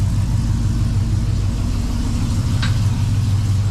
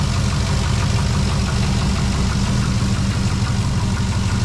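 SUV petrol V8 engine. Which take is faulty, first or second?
second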